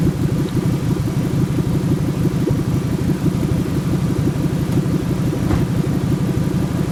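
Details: 1997 Ford F150 4.6L Romeo V8: an uneven, lumpy idle with loping pulses about once a second. It sputters at stops and had a hard start that morning. Owner hopes the cats aren't the cause; cause unclear.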